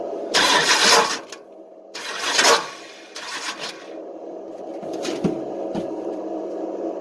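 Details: Long-stored engine on race fuel: harsh metallic grinding bursts each crank attempt, never catches; starter stripped remaining flex plate teeth.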